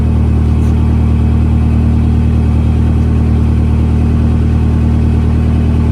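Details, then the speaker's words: 1974 Fiat 124 Spider with a Honda K-series swap, first start, heard at the tailpipe: deep, steady and even exhaust note with no misses; running well, though owner hears possible exhaust leaks, noisy injectors and noisy valves. "So at this point, everything's looking pretty good. It sounds fairly good. I do hear some maybe exhaust leaks, noisy injectors, noisy valves."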